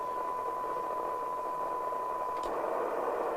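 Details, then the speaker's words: LCL Communicators NI440DX CB27/81 UK FM CB radio after VCO and receiver alignment, receiving 0.3 microvolt signal-generator test tone: tone comes through clearly over soft, even hiss, audible down to about 0.17 microvolt; receiver working properly. "that's now listening to it at 0.3 of a microvolt which isn't exactly going to get us all excited but can we hear it any lower we can actually hear it to about one point to about 0.17 of a microvolt"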